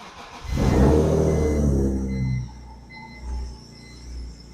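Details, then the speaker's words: BMW E46 M3 that sat 10–11 years, at start-up before repair: the engine flares then settles to idle with a thin high squeal over it. Accessory belt squeal from a rusted alternator pulley. "So let's go ahead, start it up. I'm going to show you what it sounds like right now, which is absolutely terrible."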